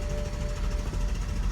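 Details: 2008 BMW M3 (E92, S65 engine), right after filling the tank: Start button pressed and the starter churns steadily, cranking and cranking without firing; hard start occurs occasionally, cause unknown, and the third attempt starts.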